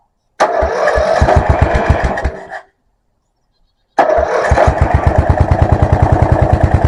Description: I finally get the mover running and its charging system actually charges the battery PP 74